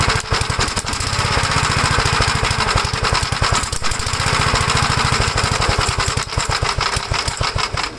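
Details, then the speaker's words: 1956 Gravely L single-cylinder tractor with carburetor from a '57 swapped in: fast uneven thumping with wavering loudness, still runs rough, so carburetor isn't the fault; owner suspects head gasket damaged when governor revved to full throttle. "okay so we know this carburetor is good there's something else WR with the engine"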